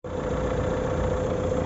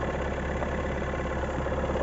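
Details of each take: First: 2019 Renault Megane IV 1.5 dCi K9K 872 turbodiesel after about 5 minutes warm-up: even rumble and faint steady hum, no pulley noise; cause was the crankshaft damper pulley, since replaced. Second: 2019 Renault Megane IV 1.5 dCi K9K 872 turbodiesel, cold idle in sub-zero weather: busy steady rattle from the right side for 3–5 minutes until warm; cause a worn crankshaft damper pulley.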